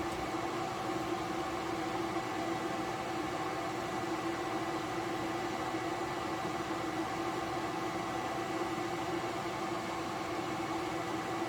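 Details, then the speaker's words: 3000 W Reliable inverter powering a 400 W HID light, fan kicking in under load: steady even whirring hiss with constant hum, no surging or rattle; normal cooling fan operation under load. "The fan's kicked in on this one."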